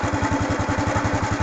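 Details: Honda Wave 110i (fuel-injected) after replacing the fuel pump with a new genuine one for a start-no-start fault; even steady putter about ten beats a second, no misses or rattles, healthy clean idle.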